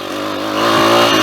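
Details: Small single-cylinder pit bike engine buzzes evenly and climbs smoothly as it revs after a second-gear downhill roll start, no stumbles or misses. It had refused to start, and the owner suspects a flooded carby. Now running cleanly.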